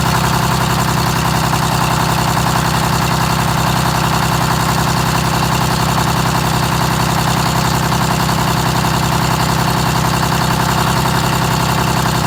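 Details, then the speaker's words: GM 4104 bus, Detroit Diesel 6-71, cold start around 35–40°F: steady diesel run with quick even rattle about 160 per minute over engine note; generator mounting bolts found ridiculously loose, tightened, likely explains oil leak. "all right so Luis is tightening these uh the mounting bolts for that generator were ridiculously loose like he's probably turned that like three times already"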